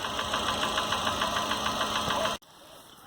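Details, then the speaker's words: Chevrolet Corsa (Montana front), head-area knock traced with a transducer and Hantek 6074BE oscilloscope: light, steady ticking about three times a second over a running engine, a deeper noise from the top of the head, apparently the camshaft tapping at cylinder 4. "mas pelos pelo barulho que não é tão fino é um barulho mais grosso né e aparentemente é comando né é o comando que está batendo ali ó"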